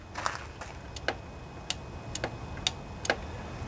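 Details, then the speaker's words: Key-on on a junkyard Husqvarna riding mower's Briggs & Stratton Intek OHV twin, 20–22 hp, model 40777, fitted with a new carburetor and fed from a fuel source above the carburetor, bypassing the fuel pump: one sharp fuel-shutoff solenoid click, working normally. "that's the fuel solenoid and it cuts off fuel supply I'm going to turn the key now on this lawnmower can you hear that click"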